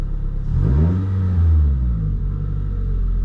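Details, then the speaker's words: 2012 Scion tC after the battery was reconnected, with a quick rev and then a smooth, steady idle of about 650–700 rpm with no hunting or stumble; earlier it had squealed and stalled when coming to a stop. "so the car is idling really good it's at about 650 700 I think that's where the idle should be"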